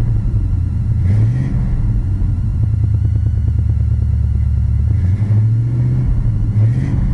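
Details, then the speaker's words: 1969 Chevelle SS big V8 started with no choke or pedal, then given two throttle blips: deep, even rumble swells cleanly and settles back smoothly, no misses or knocks; normal healthy idle and revving. "and there you have it what did I tell you I'd have it Pur like a kitten in no time"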